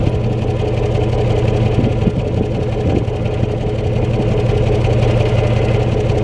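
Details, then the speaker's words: 1996 Chevy Tahoe V8 at idle after replacing the 2-year-old ignition wires, blamed for the exhaust farting (no codes set): steady, low, even exhaust burble with no popping; normal idle. "it looks pretty conclusive that the uh 2-year-old ignition leads were the cause of the fting in my exhaust system"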